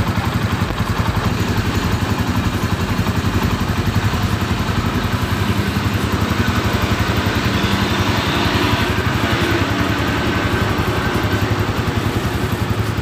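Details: Honda Tiger after repair of rough engine noise caused by a failed timing chain tensioner and worn rocker arm: even, steady single-cylinder idle with a regular beat, no timing chain rattle; healthy.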